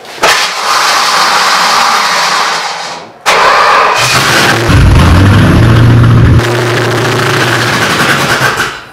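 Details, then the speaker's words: 1972 Aston Martin V8 Series 2, 5.3 L V8, first start in 34 years after fuel poured into the intake, throttle blades sticking open: cranks, catches and rises to a strong, even idle without misfiring. "but it sounded okay great sounds incredible yeah you have luck yeah I'd say so that thing sounds incredible"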